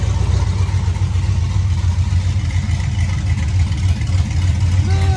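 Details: LS-swapped 1967 Camaro V8 cold start after about four months sitting, fuel pump primed first: catches and settles into a deep, lumpy but steady idle; fires up and runs fine.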